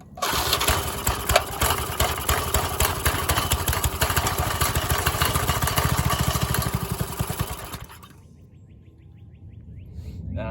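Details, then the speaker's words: Old Briggs and Stratton garden tiller engine: fires rapidly about three beats a second for eight seconds, then fades and dies; owner suspects a clogged carburetor starving fuel and may need to pull it. "really didn't want to have to pull this carburetor off I suppose probably got to I'm going give it another try and I'm hoping I'm just hoping it just clears itself out"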